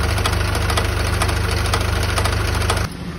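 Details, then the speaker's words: 2022 Isuzu QL with A/C on: heavy rhythmic knocking over the running engine stops when A/C is switched off; compressor starved of oil, compressor replaced. "isa po sa dahilan kaya umingay ang compressor natutuyuan po ng langis sa compressor tulad po nito"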